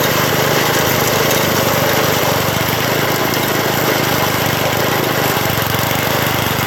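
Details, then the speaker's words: 1980 MTD SnowFlite 5-20 snowblower with a new carburetor, cold-started after sitting hours outside at about -12, clearing snow: loud, steady drone at even speed with no surging or misses; runs smoothly under load. "foreign well I don't have too much bad to say about that that's no in front of the Skidoo is obviously kind of overkill for what this is meant to do but it uh plowed through it pretty good"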